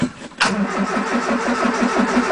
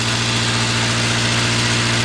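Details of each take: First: 1980 Triumph Spitfire 1500 with Weber two-barrel carb, cold start on a freezing December day after pumping the throttle: labored, uneven cranking that drags, oil pressure light goes out, battery sounds like it's giving up; slow cranking. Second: 1980 Triumph Spitfire 1500 started on a freezing cold December day, Weber two-barrel carburetor replacing the rebuilt side-draft carburetor; after revving to 2,500–3,000 it settles into a smooth, steady idle with an even low pulse and no skips, normal idle.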